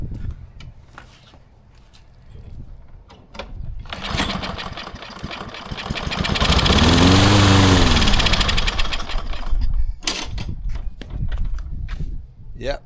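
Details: Old Lawn Boy mower with Kohler 149cc engine, before carb rebuild: sprayed with carb cleaner, cranking pulls, then it catches and runs a few seconds, rising and sputtering out; has spark and compression but lacks fuel.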